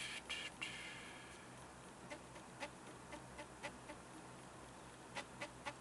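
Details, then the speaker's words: Stepper motor being tested by pulsing one wire: sharp, unevenly spaced clicks about four per second as it jerks back and forth in varying amounts instead of stepping in one direction; a second stepper does the same; cause unknown. "see so each time you hear that noise that's when I'm pulsing this wire but again it's certainly not going in One Direction it's going kind of however it it wants to"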